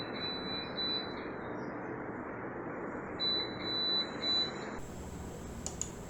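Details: Crompton BLDC fan giving clusters of shrill high beeps in short bursts with quiet gaps; the fan's controller is signalling a fault.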